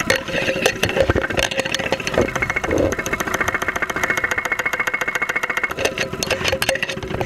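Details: 2001 Saturn SL2 run with very low oil and unused for two months, heard at close range through a stethoscope microphone at idle with 35-40 psi oil pressure: sharp, uneven knocking about two per second. Internal knock suspected, not confirmed.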